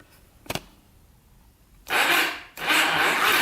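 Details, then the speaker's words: Yamaha YFZ450 big-bore project quad, neutral light very dim: a click, then two short rough whirring bursts as the engine barely turns over; weak slow cranking, owner suspects a dead battery or a positive wire shorting to the frame. "Oh, it starts a little bit. Huh. You can hear it turn over a little bit. So maybe the battery's just really dead."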